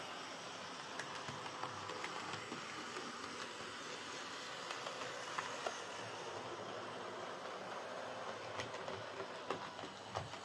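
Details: Hornby R2329M Britannia Class "Dornoch Firth" OO model loco on layout, with a loose rod: light rolling clatter with thin whine over it; bad motor whine, owner thinks it may ease with running, cause not confirmed.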